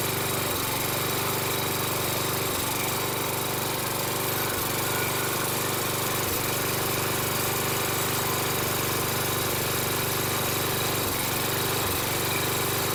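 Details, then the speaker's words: Toro Recycler mower, Kohler 6.75 engine, on a replacement Everest carburetor, runs extremely smoky and burns a lot of oil, cutting out for milliseconds and catching again, better than the original carb's one-to-two-second dropouts; cause not confirmed. "it was uh cutting out intermittently but a lot better than it was with the um original carb it would cut out for a second or two and then catch itself"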